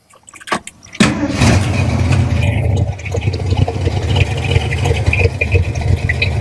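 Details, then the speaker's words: 1964 Ford F250 4x4 after new exhaust manifold collector gaskets fitted: cranks, catches and settles to a steady even low rumble with no puffing or ticking at the manifold; exhaust leak fixed, healthy idle. "pretty good actually have exhaust coming out of the exhaust pipes I like it I like it sounds good"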